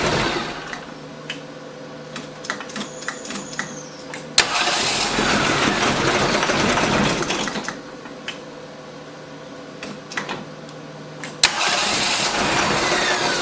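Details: Rebuilt AMC 258 engine with a new Weber carb after reinstall starts briefly only when the accelerator is pumped repeatedly, with slight backfire, then dies; timing checked at about 9 degrees.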